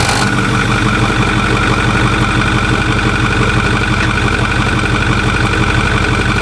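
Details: Truck idling with a noise that began after its pulleys were changed and hasn't improved: it sounds regular at first, then an even pulsing beat near three per second comes in, pointing to the accessory drive. Abnormal engine noise.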